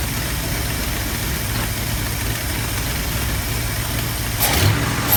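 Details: 1972 Ford F250 360 V8 after installing a Pertronix Flame Thrower II distributor, new coil, cables and plugs: long, steady, low even cranking with no catch, refusing to fire.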